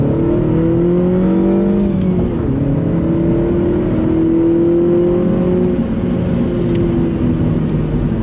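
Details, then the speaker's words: Mini Cooper S F56 with cheapest eBay Gravity Performance exhaust with resonator just fitted, heard from outside: loud, deep drone rising and falling cleanly with throttle blips, mild pops; healthy even revving, no misses, much louder than before. "So it definitely is louder. It's a lot louder from the outside. And when it comes to the pops, It's not bad. It is not bad at all."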